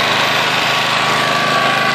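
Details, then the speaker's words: Honda EX800 generator after tune-up, just started: small single runs steady but slow and low-pitched; frequency meter reads 50 Hz instead of 60, governor set too low, underspeed. "yeah the way to tune these is with this Hertz meter so right now this is vibrating that little white square and that's telling me it's running at 50 Hertz I hope you guys can see that there"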